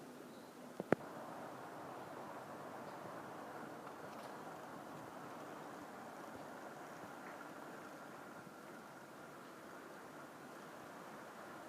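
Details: Proto 2000 GP7 model diesel locomotive after repairing its faulty axles and a seized, binding drive, test run pulling a proper load: soft, even motor hum with steady gear whir, no knocks, stalls or surges; normal running under load.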